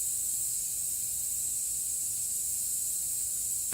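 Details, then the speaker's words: 2016 Toyota Highlander tire raised on a jack while being plugged with a plug kit: steady sharp hiss of air escaping from the open tread puncture, unchanging for several seconds until a short knock; tire air leak. "So see, here's the pain, is that you're basically not going to lose a lot of air."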